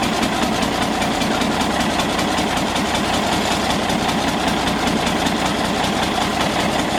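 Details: Galion T500 motor grader diesel, sat 14+ years since 2007, just started after fuel turned back on: steady, even diesel clatter with no stumbles or knocks, settling into a clean, smooth idle.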